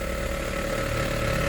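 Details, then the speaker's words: 2017 Honda HR-V 1.8 at 120,000 km service, cold engine: steady mid-pitched whine over even idle, present in drive or reverse and stops in neutral; source unknown, mounts checked normal. "realmente tem um barulho aqui tem um barulho eu não sei da onde é"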